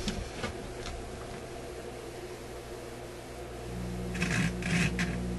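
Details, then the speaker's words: Koronette console stereo record player, ceramic cartridge just installed in the tone arm with no ground wire connected: a steady low hum comes up under the record clatter; suspected ground loop hum, though the amp may expect a magnetic cartridge. "a lot of hum but i i don't have a ground wire connected here and let's just verify that that's all that is"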